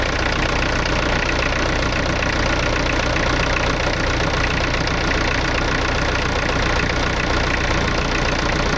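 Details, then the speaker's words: Branson 4720i diesel tractor at steady, even idle with no misses, knocks or surging, first start after spring oil change (Rotella T6) and fuel filter change, fuel pump primed; runs normally. "Well, that worked. So, that's good."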